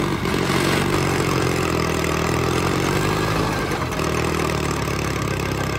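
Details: $500 Caterpillar dozer diesel, parked since 1992, running for the first time after a stubborn start in which the starter's Bendix gear kicked out. A loud, even clatter at a steady idle with a firm rumble and no misses; it runs healthy.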